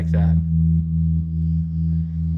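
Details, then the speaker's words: 1974 Fender Super Six Reverb (100 W, six 10-inch speakers) during restoration, tremolo tested with two 0.01 capacitors (0.02 total) at its slowest setting: a steady low note pulsing evenly at about two to three times a second; normal tremolo. "so that's the slowest setting let's turn it up here so you can hear the range of speed"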